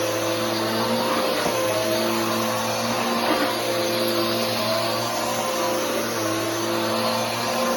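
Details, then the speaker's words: Bissell Powerforce Helix 3313 upright vacuum on a test run; steady motor whine with wavering mid-pitched whirring tones on top, which the owner says is the belt. Vacuum belt noise. "and that noise is the belt uh but anyways that's the 33113"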